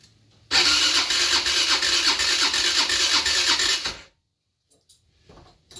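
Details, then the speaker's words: 50cc scooter being revived, with spark, fuel and oil and a freshly charged battery: fast, even starter cranking for about three seconds that never catches, only a couple of puffs; carburetor needing cleaning. "I heard a puff a couple of times"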